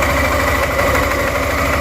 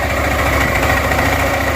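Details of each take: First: Suzuki Burgman 400 scooter at even idle, before or during its CVT clutch upgrade: a fast, faint flutter slaps over the engine note, the model's well-known CVT belt slap. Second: Suzuki Burgman 400 after the 3-pad to 5-pad clutch upgrade: a steady, even engine hum with no rattle or ringing from the clutch; much quieter, normal running.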